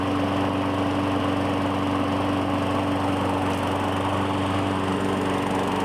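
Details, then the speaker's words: 2017 Murray 21" mower, Briggs & Stratton 450E, after cleaning the dirty carburetor: steady even buzz at constant speed, no misses or hunting; normal running, no smoke. "break it's good so it stops up real quick don't see any smoke so we are golden so fantastic"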